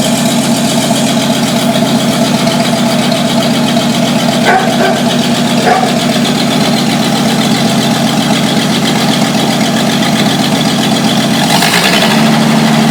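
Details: 1949 Studebaker truck after a vacuum leak was fixed: old engine ticking over at a steady, even beat with no hiss or stumble, a smooth healthy idle.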